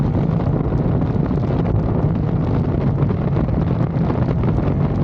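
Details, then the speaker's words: Ducati 848 on the road after a shop replaced the suspected faulty throttle position sensor: steady deep engine drone under wind rush, even with no misses or stumbles, running as well as ever after earlier misfiring and power loss. "Okay, so as you've seen from the video, it's running sound as good as it ever did."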